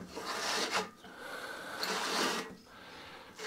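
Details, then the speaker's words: ATCO lawnmower Briggs & Stratton recoil starter, after WD-40 flush and maintenance lube, about five feet of new cord: three smooth rasping pulls and returns, no catching or grinding; earlier noise gone, recoiling freely. "let's get rid of that got rid of that noise now and now you can see that's now recoiling quite well"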